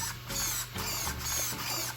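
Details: Team Associated Rival MT10 RC truck: short crisp bursts of high electric whirring as the steering sweeps side to side, quick and even; the servo works properly.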